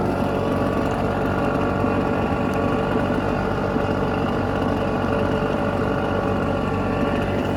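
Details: Red Max EBZ7100 two-stroke backpack blower warming up after a choke start, rescued from the dump with its missing fuel lines replaced and carburetor repaired. Steady, even buzz with no misses or surging; clean, healthy idle.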